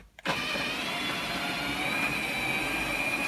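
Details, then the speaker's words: R2D2 droid dome motor rotating with dome fitted: click then thin high whir that wavers as it turns, not smooth; dome still needs work. "last rotation that way now you can hear it it's not that smooth so I still got to work on the dome"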